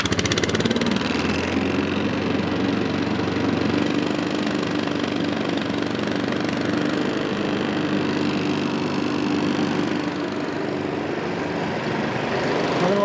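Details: Honda-powered Billy Goat at about 21–22°F after a choke and cable adjustment got it started: the small single-cylinder engine holds a steady, even warm-up idle with no stumbling, knocking or hunting; normal idle.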